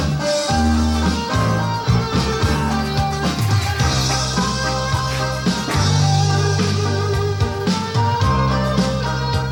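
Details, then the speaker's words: Aiwa AD-F370 cassette deck with all belts replaced and speed adjusted, playing rock music; faint pitch waver and unsteady sustained notes show wow and flutter remain, which the repairer attributes to a seemingly warped flywheel. "So not only does it have lots of wow and flutter, but the speed was way off."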